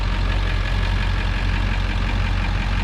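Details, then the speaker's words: 7.3 Powerstroke diesel after turbo rebuild, new injectors, valve covers, glow plugs and wiring: deep, even rumble at steady idle with no misses or knocks; motor sounds good after starting twice, though boost leaks remain at the turbo pipe. "She started though. She's running, the motor sounds good. Started it twice now."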